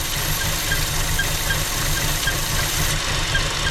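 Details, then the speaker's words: 2015 Chevy Cruze 1.4L with lean code: rough, uneven idle with a steady airy hiss; ruptured PCV diaphragm in the valve cover leaking vacuum, not serviceable separately, so valve cover (and intake manifold) are replaced. "So this is a 1.4. The PCV system, there's a diaphragm in this valve cover. You cannot service this separate. When it starts leaking like this, you got to replace the valve cover."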